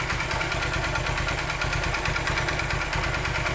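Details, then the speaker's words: 2008 Honda Titan 150 (CG 150) single at idle: loud, hollow rapping following each firing stroke, sometimes louder; opened up, the piston showed wear from lack of lubrication, confirming piston slap. "Barulho bem forte mesmo. Tem vezes que o barulho altera bem mais do que tá agora."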